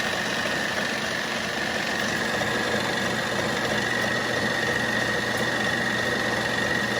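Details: 1940s RCA 16mm projector after the replacement Bell & Howell spring drive belt and gear greasing, on the reverse check: a steady, even whir with a faint high hum and no knocks or scraping; normal running.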